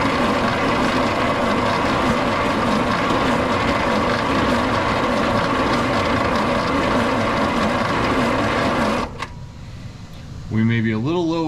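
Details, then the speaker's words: 1941 Plymouth Special Deluxe barn find, parked since 1995, last driven mid-to-late 80s: starter grinds sluggishly, roughly three turns a second, for nine seconds without firing; battery low on charge, to be recharged. "a little low on juice. Let me charge the battery up and we'll come back."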